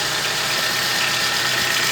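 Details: VW Gol G4, little-driven, loud engine noise that a mechanic said needed decarbonizing: loud hissy roar when revved, with a faint rough rattle underneath; abnormal noise, source not pinned down.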